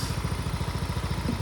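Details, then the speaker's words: Mio i 125s scooter, 49,000+ odometer, after bolt-on 54mm Racing Monkey block (132.6cc), new valve seals, modified camshaft and fresh oil, warming up from cold (70 degrees) during tuning: even putter about eleven beats a second, no tapping or rattle; quiet, stock-like healthy idle. "Pero tahimik po yung kanyang makina. Parang stock lang din. Walang masyadong lagitek, walang masyadong ingay."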